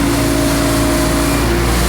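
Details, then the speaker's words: Diesel mower with new time delay relay, PTO engaged: even, steady drone with no sag or stumble under blade load; previously died when PTO engaged, now fixed. "so we put our gauge blade up that's a good sign it used to die before here we go oh yeah there it is"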